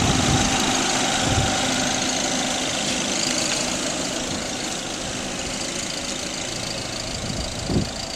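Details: 1999 VW Passat 1.8T when cold at idle: loud airy hiss and whistle over fast ticking puffs, like a loud turbo noise, louder with turbo load; exhaust manifold leak from loose header-to-cylinder-head bolts, not the turbo.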